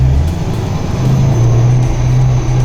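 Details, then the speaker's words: LS-swapped 500hp Chevy Chevelle on its first drive, before tuning: quiet off throttle, then a deep, steady V8 roar builds under acceleration with no knocks or rattles; healthy and revs faster than the previous big block. "It's normal. It sounds so quiet. But as soon as you lay into it a bit, it comes straight to life."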